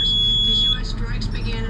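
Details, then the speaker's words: Boat with twin Honda outboards: a steady high electronic warning beep set off by moving the control levers, which then cuts off; owner also notes low battery voltage made starting labored. "Oh, I was dinking around with these levers is why that's going off."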